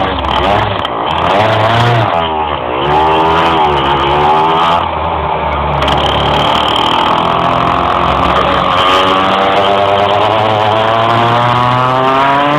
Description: bruis moteur qui a du mal a monter dans les tours en roulant.